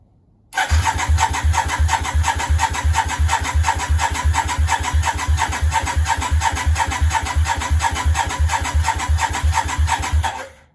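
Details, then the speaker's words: Yamaha Virago 535 project, first start attempt, choke on: ten seconds of even starter cranking, about three compressions a second, never catching; fuel smelled and spark present, maybe too much fuel, possibly flooded. "She sounds like she wants to go. Well, not quite. Maybe too much fuel."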